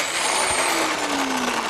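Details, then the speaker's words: Item at a repair café, motor running: motor whines with sagging pitch under rough, gritty grinding; gear wheels loose and flopping about, judged terminal and unrepairable. "problem is that the gear wheels is flopping about all over the place. I think the owner probably agrees with me that this is terminal."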